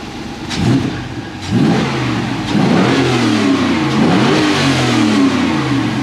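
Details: 2014 2WD Toyota Hilux with an LS2 6.0 L V8 swap: deep V8 blips up and settles back several times with a clean, even note and no misfire or rasp; healthy revving.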